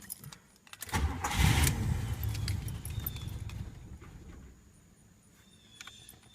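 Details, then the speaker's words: 1981 Buick Electra Limited on its original carburetor (before replacement), low on fuel: a burst of struggling cranking and churning that settles into a rough low run; hard starting blamed on the carburetor. "awful to start with this carburetor there we go it appears to have started"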